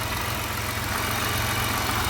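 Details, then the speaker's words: 2000 Pontiac Bonneville SSEI before head gasket and lower intake manifold gasket replacement: low drone with an uneven, lumpy pulse and the engine shaking a lot; rough idle. A vacuum hose is sucking in and there is antifreeze in the lower intake with a busted O-ring; cause not confirmed. "it's hard to tell. It's shaking quite a bit, so."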